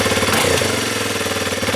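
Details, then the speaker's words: 2020 Kawasaki KLX 230R single-cylinder with aftermarket manual idle adjuster fitted, not yet fully warm: quick even putter idling a touch too high while the idle screw is being set. "That's a little bit too high to go."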